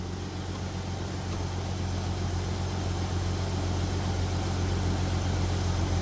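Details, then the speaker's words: Jeep Cherokee 4.0L, 345,000 miles, cold idle just after replacing a cracked piston with used pistons, no coolant yet. Quiet, steady low idle, faint injector ticking, no piston clatter; slightly unsteady but healthy. "I don't think I've ever heard it idle that quiet. It's It's not very smooth, but it's quiet."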